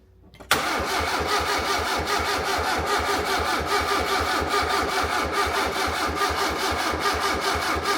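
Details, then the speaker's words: Fiat Punto GT Turbo, restored with mostly new parts, cranking: steady cranking with ragged, uneven firings, as if only one or two cylinders fire, and it never catches; crank no start from dead fuel injectors, the only parts not replaced new. "It was like it was firing on one or two only, but it just wouldn't catch."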